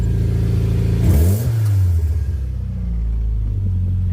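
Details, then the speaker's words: Mitsubishi Lancer Ralliart turbo engine (turbo swapped, about 14,000 miles since) revved with hood open after fixing an engine-bay ticking and rattle: smooth blips settling back, no rattle or ticking, only normal SST transmission chatter; healthy. "and uh that's what you want to hear so we have a healthy Lancer rard and just your normal SST chatter nothing crazy going on so car is in a very good condition right now"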